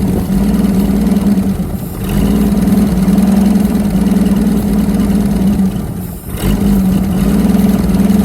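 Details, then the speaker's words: Holden FC grey motor six-cylinder just after its first start in 50 years: a steady, even idle at about four beats per second with a smooth low hum and one brief dip; running on all six cylinders and sounding good. "that's full six cylinders AI yeah it sounds good"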